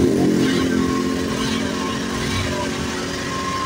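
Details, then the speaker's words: Honda Vario 125 KZR scooter that died when throttled, after repair: picks up cleanly on throttle blips with a steady, even exhaust note, no stumble or cut-out; the weak component was identified and fixed. "Sekarang mau hidup dan digas juga sekarang mau dia ya."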